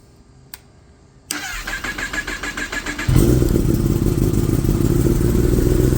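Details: Kawasaki ZX10-R rebuilt after a wreck, with new radiator and wheel, first start. The starter cranks about four pulses a second for two seconds, then it catches into a steady, even idle with no check engine light: a healthy start.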